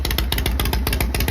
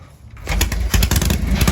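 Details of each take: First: Harley Shovelhead with points ignition, cold start just after setting static timing to cure hard starting and high-rpm cutout: loose, lumpy slow potato-potato beat near stalling; idle set too low and needs turning up. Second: Shovelhead V-twin after setting static timing, which fixed hard starting and cutting out at higher rpm, cold start: fires up, catches clean, revs freely without cutting out and settles into a steady loping idle; running properly.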